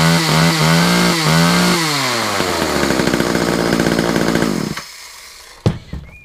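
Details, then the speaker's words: Chainsaw buzzes high and rough, revs wandering then dropping away, after starting with a little choke; oil running through, it runs but wants a service. "Then you can see the oil's running through. It just wants to service. So I may just do a little service on it."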